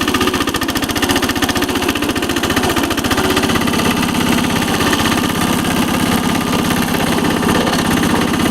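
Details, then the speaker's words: 1983 Case 446 tractor repowered with a Lombardini 6LD 435 diesel, started at about 53°F and still cold though run minutes earlier: rapid, even diesel clatter at steady idle, no misses or knocks, smoking slightly until warm. Normal cold idle. "Engine still is cold. It's smoking a little bit. Smoke clears up when it's warm."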